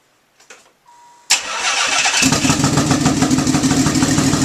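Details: Nissan 300ZX twin turbo, first startup after engine pull with nearly all gaskets, seals and vacuum lines replaced: brief crank, catches cleanly, even steady idle with no misses or rattles.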